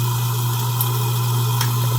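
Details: InSinkErator garbage disposal that had been jammed by fish tank gravel, after being freed manually, running with water: steady even motor hum with no grinding or stalling. Before the fix it only hummed without spinning; now it spins freely.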